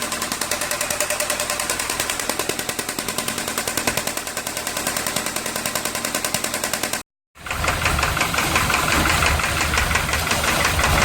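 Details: VW Santana AP 1.8 engine, oil level ok, new oil and filter, no smoke; oil pump, hydraulic lifters replaced, timing and camshaft checked yet noise persists: loud, sharp metallic knock about three a second over idle, regular; connecting rod play suspected.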